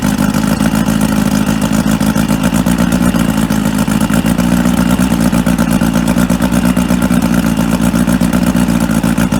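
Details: Outboard on 1995 Spectrum 16 Dominator boat, sat 22 years, spark checked, fresh fuel, running on muffs: fires and holds steady rapid even beat with some clatter; starts and runs consistently.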